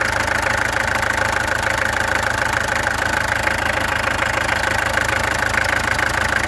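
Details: Peugeot XD2 diesel at idle, before the injectors were removed, tested and adjusted: steady clatter with an uneven, lumpy beat underneath, hinting at a cylinder not firing cleanly. Owner suspects a misfire; cause unconfirmed.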